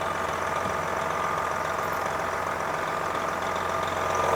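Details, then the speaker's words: 1999 Volvo truck with Detroit diesel, sitting since 2016, first start: even idle with steady low rumble and faint constant tone, no misses or knocks; runs sweet, normal idle. "man that thing runs sweet don't it"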